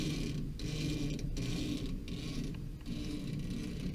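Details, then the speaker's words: Modine BA130SBM shop furnace blower: squeaky scraping as the belt is turned by hand, mostly at the motor pulley, some at the larger pulley; motor and belt needed adjustment. "well what I did find was it seems like it's the belt that's making the noise if I rotate it a little bit you get the noise and you get it more on the motor pulley than anything else"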